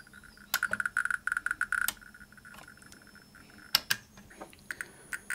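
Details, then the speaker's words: 1959 Sputnik-1 Soviet radiometer on its ×10 subrange: bursts of faint ticks, as quiet as the ×100 range, with similar readings, when they should be noticeably louder; faulty subrange from wrong RC-circuit resistor and capacitor values. "But the “×10” subrange is faulty. The readings are practically no different from the “×100” subrange, and the sound is just as quiet. And it should be noticeably louder."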